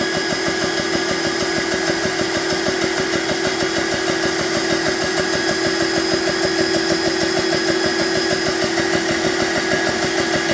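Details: BSA PCP air compressor on first-ever run, gauge set to 200 bar auto cut-off, fans on: steady rapid pumping about two strokes a second over an even hum with no knocks or rattles; running normally.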